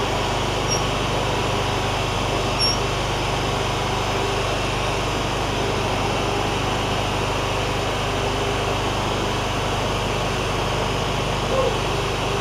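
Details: John Deere ZTrak Z915E Kohler V-twin, sat 2 years, after starting: smooth, constant drone at one speed, no surging, popping or misfire; oak leaves hitting the cooling fan. Running normally.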